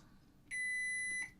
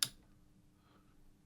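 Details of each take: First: Sony HT-BE1 5.1 home theater amp that lights up but gives no sound. The fuse is tested with a multimeter on diode setting: a single clean, unbroken high beep under a second shows the fuse conducts and is good. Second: Sony HT-BE1 5.1 home theatre amplifier that stopped turning on, lights come on but no sound output, on the bench: one sharp relay click at switch-on and green light on, then only faint hum; unit doesn't fully come up.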